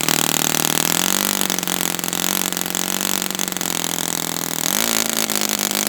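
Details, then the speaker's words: Brand-new customer Saito FA-100T four-stroke twin glow engine on test stand, break-in run: loud buzzing, pitch wavering then rising, strong with no lean screaming; rich, oil dripping from exhaust. Rich break-in running. "And this engine is got so much oil coming out, so it was not lean at all. I mean, there's oil dripping from my finger here."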